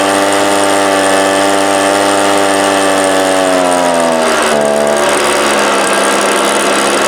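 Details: 1998 STIHL BR320 two-stroke leaf blower, about 24 years old, run during carburetor adjustment attempts: screams near full throttle, then pitch sags lower without recovering; power loss at wide open, later fixed by carburetor cleaning.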